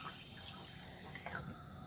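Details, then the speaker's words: Toilet fill valve with a broken seal under its cap, barely audible: a faint, steady hiss of water running without shutting off, leaking enough to run up a 10,000-gallon water bill; fixed by replacing the fill valve. "you can see it's the seal underneath this cap is broken. That's a considerable amount of money, water leaking out of there."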